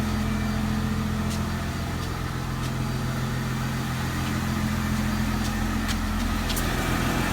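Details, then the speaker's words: Mercedes SLK 320 flood car, 722.6 transmission after valve body reinstall and filter replacement, engine at operating temperature, idling in park and slightly raised: steady even idle with low hum, no transmission pump whine; normal idle. "But just been letting it sit here and park, idling, and I don't hear any whine. Let it kind of idle up a little the transmission pump is not whining."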